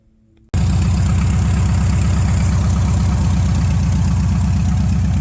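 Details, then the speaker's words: 1971 Chevrolet C10 V8, warm with hot exhaust manifold, after plugging an open vacuum port, adjusting carburettor mixture and raising idle; loud, deep, even idle with no misses or knocks, running fairly decent. "I adjusted on the on the mixture a little bit and I bumped up the idle and I gotta running fairly decent"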